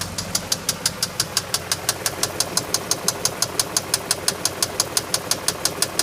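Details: BMW X5 at idle with sharp, even metallic ticks about three per second; engine knock, owner doesn't know the source.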